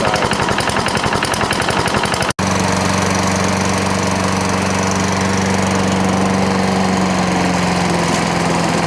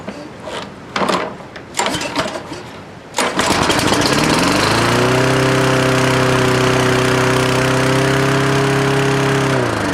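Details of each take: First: Toro Recycler lawnmower after the loose governor screw was tightened with a lock washer and the idle speed screw turned up. The small single-cylinder settles into a steady, even drone with no surging or hunting; it now runs at a good speed. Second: Toro Recycler lawnmower started after a few pulls while checking the governor: it revs to a high, steady howl that doesn't settle, running too fast; governor suspected, not confirmed.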